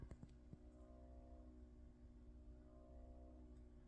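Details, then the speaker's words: Jaguar XK (X150) cabin humidity and temperature sensor aspirator fan behind the steering wheel panel: faint steady buzzing hum whose pitch rises and falls every couple of seconds. "my mind it kind of goes like an up with the pitch of the noise goes up and down up and down all the time"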